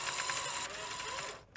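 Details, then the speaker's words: Sony Betamax SL-F25UB at power-on after cassette inserted, previously ran perfectly: high whirring grind with rapid ratcheting clicks, stops abruptly; lacing mechanism slipping, floating on its gear, possibly self-inflicted. "I mean yeah you can sort of see it's it's it's not happy um this part the lacing mechanism it's just floating about I say floating about it's it's on the gear"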